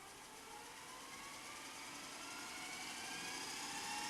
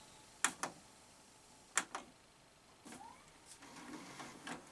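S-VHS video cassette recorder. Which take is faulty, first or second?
second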